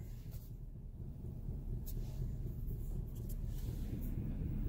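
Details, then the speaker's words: 2015 Chevrolet Silverado 5.3L at idle, check engine light blinking, traction control on, lopes and slams into first: low rumble stumbling unevenly three to four times a second with rattling; running rough, almost like a cylinder's fouled out. "But I got my check engine light on, and the traction control is on, and it's running real rough, almost like a cylinder's fouled out."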